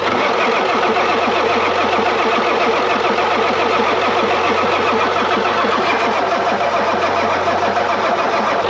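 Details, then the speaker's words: 1990s Ford F-250 7.3 Powerstroke diesel with a veggie-oil conversion, sat 10 years, cranked by screwdriver with the glow plugs off and possibly little fuel. A long, steady crank without a single firing stroke: cranks but won't start. "I think we're gonna have to crank it a little bit but I'm gonna see what tank round we're gonna put a little fuel in it"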